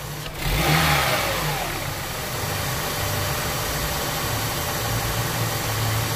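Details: Engine with a rough-running misfire complaint, diagnosed with a vacuum gauge, power balance and compression tests; after a quick throttle snap it settles back to a steady, even idle with no stumble or skip, running healthy.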